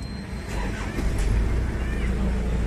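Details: Isuzu Trooper diesel with fuel leak at number three injector that caused misfire: steady low diesel clatter at even idle, no stumble or skipped beats; normal idle.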